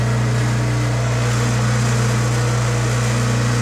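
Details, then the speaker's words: Bottle-washing machine pump flushed with emergency stop engaged: loud steady low hum with a slightly rough, uneven edge and no speed change; pump running nearly dry because there is little liquid. "si l'on entend que la pompe à Roche un peu parce qu'il y a pas de liquide vraiment"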